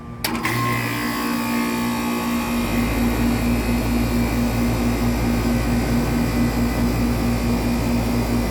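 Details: 1995 Tempstar 5000 central AC with a Copeland reciprocating compressor, first startup of 2024 in its 29th season, 87°F outside. A quiet fan hum, then the compressor kicks in with a steady low drone. It starts and runs smoothly; normal startup.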